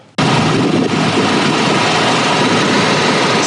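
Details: Roadtrek camper van back from transmission repair, first start after sitting: engine catches instantly and settles into a smooth, even idle with no ticks, knocks or misses; sounds healthy.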